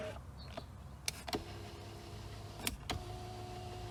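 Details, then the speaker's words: Flood-damaged 2023 Hyundai Palisade power seat after repairs: soft steady motor hum between relay clicks, even pitch with no straining or grinding; working normally. "This extension works just fine. Seat moves front and back. Okay. Back goes everywhere."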